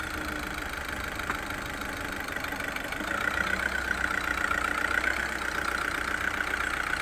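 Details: VW Vento 1.6 L TDI diesel after a repair for low pickup, heard pulling away in reverse: smooth, steady diesel hum lifting slightly, with none of the earlier tak-tak noise, no rattle or misfire. The engine runs cleanly.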